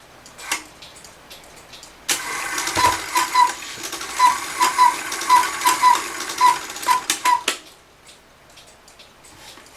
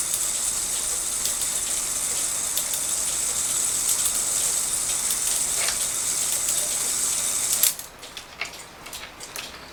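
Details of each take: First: Circa-1900 Rail Road Quail cuckoo clock that stopped cuckooing: the movement whirs about five seconds with fast irregular ticking or popping, but no cuckoo follows. The cuckoo-side lever triggered but didn't come up fully and stuck, which the repairer calls a timing issue. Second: Circa-1900 Rail Road Quail cuckoo clock after the fix: a bent part, grabbed by a rail when it sat down too far, was found and dealt with, and the clock was cleaned and oiled. Testing strikes 3 through 12, steady whirring with regular clicks stops cleanly; normal operation.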